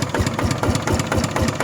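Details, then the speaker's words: Used RT 90 Plus diesel walking tractor on KS 72 frame, washed, idling: steady low thumping about four beats a second with no rattle or buzz; soft, smooth, healthy idle. "เสียงเบานะครับเบาครับเบาๆๆเบาได้นิ่มนะครับ"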